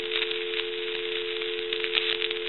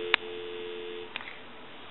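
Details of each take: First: we want to take dial tone away and I want you to hear that there's all kinds of cracking and popping and sizzling coming from this handset and that's basically from the T1 Second: Takara French-style rotary desk telephone, after removing the faulty T1 transmitter that caused crackle: a clean, steady dial tone with no crackle or hiss, cut short after about a second by a click; the line sounds quiet and healthy.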